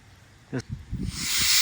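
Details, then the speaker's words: Home 410A AC recharge with auto AC gauge set: thump then steady sharp hiss as refrigerant escapes from loosened high and low hose ends with bottle open, purging the gauge lines as intended. "Both of these cracked, and we're just letting a little gas leak. We got the bottle open, and that's going to purge us."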